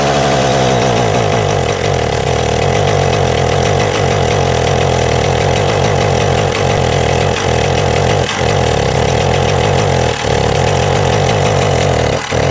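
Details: Husqvarna 372XP two-stroke chainsaw with pickup and starting problems: a loud, busy idle that dips and stumbles every second or two. Rough idle; cause suspected, not confirmed.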